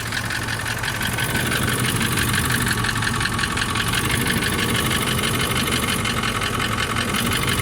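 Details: Toyota 1VD-FTV diesel (200-series) idling: hard, regular rattling knock over the clatter; oil-cooling jets found in the oil pickup after pan removal, so the fault is pistons or bushings; engine pulled for full rebuild.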